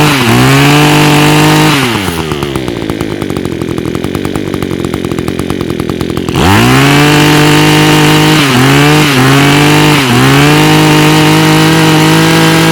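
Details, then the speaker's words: Echo two-stroke tool with Zama carburetor, after removing and cleaning the jet following a rebuild, air cleaner back on: crisp buzz revving up cleanly and dropping to an even idle; running good, earlier smoke from raw fuel now cleared. "It's running good now. It has stopped smoking."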